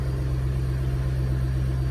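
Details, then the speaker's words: Mustang on first start with final tune revision, warming up with AFR, fuel trims and downstream readings good: smooth, even low drone at idle with no knocks, misses, hunting, fueling or detonation issues; normal idle. "exhaust sounds good i don't hear any fueling issue or detonation issue so that's plus one and prep for tomorrow"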